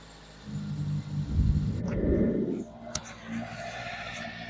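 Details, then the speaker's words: Carbureted Nissan Sunny with 42,000 miles, off the road for about 16-17 years since 2005/2006: it catches with a loud burst, then settles to a quiet, steady tick-over. It now runs off its own tank after the fuel line was blown clear; the alternator is not working. "I managed to blow back for it and it is now running off its own fuel tank"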